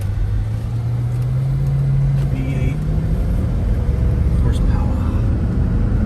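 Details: 2006 Dodge Charger Hemi V8 after valve seat repair at a machine shop, driving with a deep, steady, smooth rumble and no knocks or misses; engine running well.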